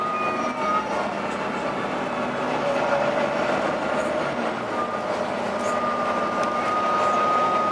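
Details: Arriva Yorkshire Volvo B9TL East Lancs Olympus bus (YJ57 BEO) on service 202 while driving: a thin, high howl comes and goes above the road and engine rumble; the source of the howling is unclear.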